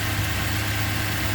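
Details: 2004 Toyota Tacoma SR5 2.7L, after replacing faulty cylinder 4 ignition coil (P0304 misfire, coil only months old): low, even idle with steady beat, no stumble or shake; previous shaking and hose pulsing gone.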